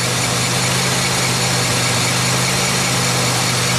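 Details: 2003 Pontiac Grand Am GT with the front wheel spinning in gear, possibly second: steady rushing grind over a low drivetrain hum on one front side, traced to a bad front wheel bearing.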